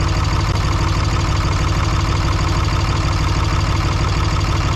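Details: 3rd-gen diesel just fitted with new BD Diesel 90hp injectors: rough lumpy idle, heavy even knock about three times a second, raw diesel coming out the exhaust; suspected overfueling injector, heat-gun port test inconclusive.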